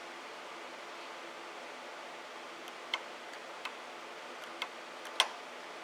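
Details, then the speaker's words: VW/Audi AC compressor N280 control valve bench-tested on power supply with scope and amp clamp during activation: crisp, sharp single clicks about every second over quiet hiss; current ramps rather than spiking, so winding isn't shorted; valve normal. "okay so you can hear it and there is the pattern that it created so here is a zoomed in example uh here is your amperage and there is your voltage and also to check on the amperage for the solenoid you can tell that it's not shorted because it has a ramp and doesn't go straight up like a shorted winding as you can see"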